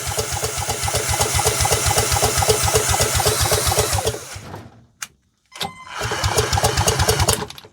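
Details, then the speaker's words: 1930s two-stroke mower engine spun by a drill: about four even compression pulses a second, then it stops, never firing. No spark found at the lead to the block; cranks but no spark, no start. "So, we don't have a spark anywhere this way. No. Right. Didn't quite think we was going to get that lucky."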